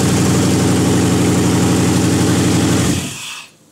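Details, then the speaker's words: 5.3 V8 on an engine test stand with MicroSquirt, no header gaskets, idle air valve open: even, steady fast high idle with a firm low thrum, about four pulses a second, then clean shutoff; working well. "the idle air is open and it was idling pretty high"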